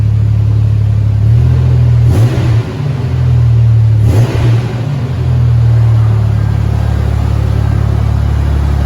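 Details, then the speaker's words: Supercharged Toyota truck ("Ole Red") at startup: a deep, raspy roar swelling on two quick throttle blips, then settling, loud like a little NASCAR because the exhaust is rusted out. "Yes, the exhaust is pretty much rusted out on this. That's why it sounds like a little NASCAR."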